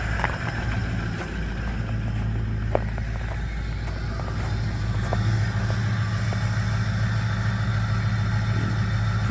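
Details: Ford 6.0 Powerstroke diesel truck running on a fuel mix of used engine oil and gasoline, cold morning start at 25°F after a long crank. Steady low idle with an even clatter, no misses or knocks; runs smoothly cold.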